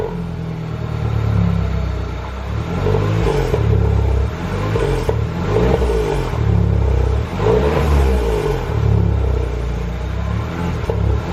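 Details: THP engine blipped repeatedly, revs rising and falling, with an odd extra whirr riding on the deep rumble. The noise is abnormal and its source is not pinned down.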